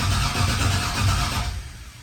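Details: 1988 Chevrolet C30 with LS V8 swap, first startup attempt after clearing codes, test light on spark: slow even cranking about 1.5 seconds then quits; no spark, owner suspects cam sensor or TPS.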